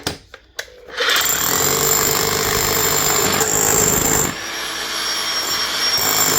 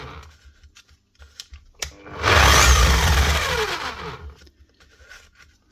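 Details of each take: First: DeWalt D25810 chipping hammer after its bearing repair, tested chipping a concrete block; after a quiet start it settles into a loud, steady rattle of blows, running evenly with no stalling or slipping. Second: DeWalt D25810 chipping hammer before repair: a short burst of harsh, racing hammering that coasts down with a falling whine, running rough and too fast; worn bearings, which were later replaced.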